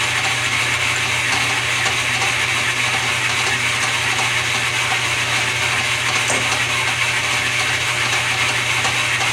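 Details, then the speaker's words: Newly acquired mill running in direct drive during first test: steady, even gear-and-motor whirr with a bright hiss and no knocking, grinding or surging, running cleanly; a minor back-gear holding issue noted, thought to be just an adjustment. "it's running a direct-drive with no problem I'm going to start it up and run it through its paces"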